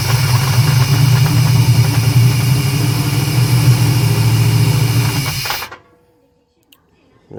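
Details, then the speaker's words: 1994 (or 93) Chevy Silverado Z71 with swapped-in 350 crate V8 and 4L80E transmission runs steadily with a rough rattling clatter on the firing rhythm, no smoke; timing kicks back slightly; noise from visibly cracked flexplate. "yeah I believe this motors good I don't see no smoking nothing all that noise is just from the flywheel"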